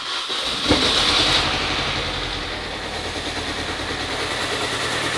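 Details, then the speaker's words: Supercharged Mini Cooper S started for the first time after coolant fill: engine catches, then settles into a lumpy, uneven idle of about three pulses a second with engine light on; owner suspects something left unplugged. "We're running very lumpy. Yeah, we're running very lumpy. And we've got an engine light on."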